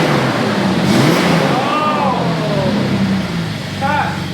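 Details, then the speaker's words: Off-road truck "Banana" after repair: revs up and settles with a firm, throaty but contained exhaust note, no drone or rasp, no longer hurting inside; normal exhaust note. "she's back baby that sounds good got a little beef to it"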